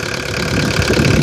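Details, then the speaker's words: Mazda RF 2.0 diesel from a 1985 Ford Escort, running on red diesel after 3 years sitting: steady, even, unhurried clatter with no misses, slightly louder because something is open; owner calls it smooth; normal idle. "my red car if you look at that now listen to that man don't that sound somebody look at this smooth makes a little more noise because that's open"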